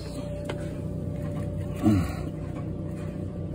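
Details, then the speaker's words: Frigidaire Gallery dryer after heating element coil restrung and control board solder joints refreshed: steady low drum rumble with faint even hum, no metal-on-metal scraping from the rear of the drum; heat restored, normal running. "let's fire it up no more scraping noise running good"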